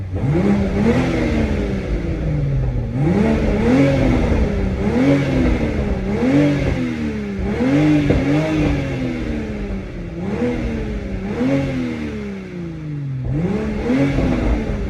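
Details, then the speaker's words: Toyota Supra stock exhaust: repeated free revs rise and fall smoothly, dropping back to idle with no rattles or misfires; healthy but underwhelming exhaust note. "so I'll throw an exhaust clip on here for you guys to be able to see what the super sounds like [Music]"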